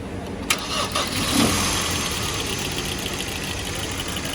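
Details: Hyundai Sonata 2013 engine catches and settles into an uneven idle with a faint irregular stumble in the exhaust beat; engine misfire.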